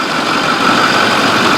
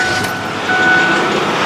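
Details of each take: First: 6.4 diesel truck after turbo repair. Steady, even idle with a smooth hum, settling cleanly after the start with no knocks or misses. The engine sounds healthy. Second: 6.4 diesel truck losing oil and smoking from the tailpipe despite filters, with turbos suspected. Steady running with a hollow whooshing whirr, like a cavitating power steering pump, and a faint tick about four per second. It sounds unhealthy.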